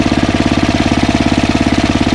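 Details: Ariens ST1128 snowblower, 11HP Tecumseh Snow King engine, after carburetor cleaning fixed surging, warm but not hot after running a while: even, fast beat of about fourteen pulses a second, no surging or hunting; healthy.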